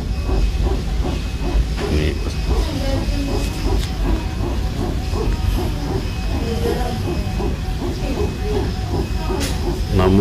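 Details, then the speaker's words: Cabin rumble with a dense run of uneven thumps and rattles heard inside an airliner while taxiing before takeoff. It fades after the plane is airborne, so the wheels are the suspected source. "sampai ada yang mengatakan bahwa Baru kali ini naik pesawat ada bunyi-bunyi seperti itu tapi rupanya ini bunyi-bunyi berasal dari roda pesawatnya berbunyi"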